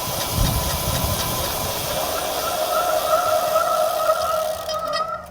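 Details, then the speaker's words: Road bike disc brake with semi-metallic pads in a pad comparison. Steady rushing hiss with a faint mid-pitched howl under braking; more bite and slightly louder than resin, peak -6.1 and perceived loudness -17.8. "The semi-metallics were slightly louder than the resin pad, with a peak noise of -6.1 and the perceived loudness of -17.8. They had a little bit more bite to it, and you can clearly hear the differences through the clip."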